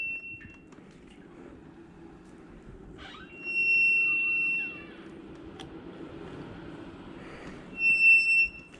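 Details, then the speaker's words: Honda CB900C front brake after adding brake fluid: sharp high squeal in short bursts as the bike is rolled; applying the brake locks the front end so it barely moves, needing front brake work. "anytime you mash that brake it locks the front end down and it's just about the where you can't move it you hear"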